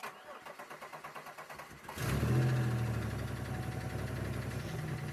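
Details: 2002 Chevy Malibu after replacing leaking rear block crank sensor, previous no-start, fuel smell noticed: even cranking about four beats a second, then catches and settles to steady idle; starts and runs normally now.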